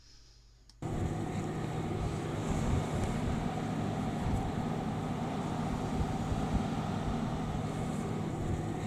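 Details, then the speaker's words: Webasto Thermo Top diesel water heater in a camper van, heating central heating and tap water, recorded with on-camera microphone: steady low hum with soft even fan rush, running smoothly and extremely quietly. "the one of the ways that the water is heated is by the wabasto thermal topsy diesel water heater for marine or motorhome and it works a treat"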